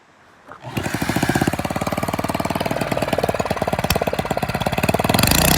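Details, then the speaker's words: Old engine that had not run in years, started with a drill, runs with the exhaust removed: loud, sharp, raw pulses at a fast, steady beat, the bark of an unmuffled engine. "we took the exhaust off so now it sounds like a beast okay start it up"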